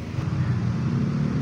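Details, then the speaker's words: Spin dryer plugged in, timer set: low steady hum but drum does not spin, no spin-up whine; motor hums, brake stuck on because the brake cable is broken. "timer po natin hindi po siya umaandar may konting Ugong po siya no pero hindi siya umaandar"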